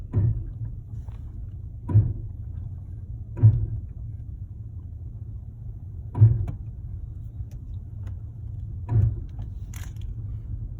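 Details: 2016 Chevy Malibu driving in Drive, intermittent dull uneven thumps or knocking over low rolling rumble during slow braking, about five in eleven seconds; happens only at low speeds and not always.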